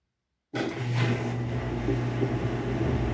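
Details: Whirlpool 17 kg washing machine leaking water from the bottom, sometimes not finishing cycles; during spin a steady hum with gritty rumble from transmission bearings that got wet, transmission to be replaced.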